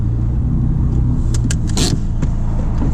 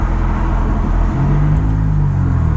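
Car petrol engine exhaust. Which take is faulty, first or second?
first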